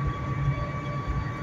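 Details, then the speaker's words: 2008 Dodge Caliber on the road: steady high-pitched hum above road rumble appearing around 60 mph, gone by 40 and back on acceleration, tied to ground speed; owner suspects a wheel bearing, unconfirmed. "get to about 50 and it goes away it's not even gonna go away 40. there it's gone and we'll accelerate and it's back I have no idea what the [ __ ] this is this makes no sense it's tied to ground speed somehow this noise again"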